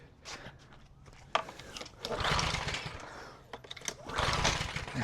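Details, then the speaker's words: Craftsman 2800 PSI pressure washer, Briggs & Stratton 163cc, sat after little use with discolored stale fuel, pull-start with brake cleaner sprayed in; brief whirring churn, never catches; cranks but no start. "Doesn't sound like we're getting anything. We're going to spray a little bit of uh what do we got? Brake cleaner this time."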